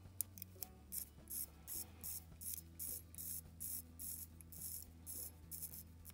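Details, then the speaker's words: Seiko Samurai SRPB55 watch after a movement swap and a gasket change on the tight crown: light, crisp clicks in short bursts, about two per second, as the crown unscrews freely; good pops. "but now when i screw out the crown i get good pops"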